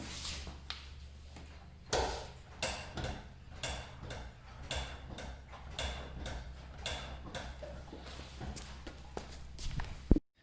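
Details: Nissan 370Z rear axle, clicking for about five months: sharp irregular clicks through a low steady hum; axle nut loose at the axle spline, wearing out spline grease; fix is Kawasaki castle nut, spring washers, cotter pin.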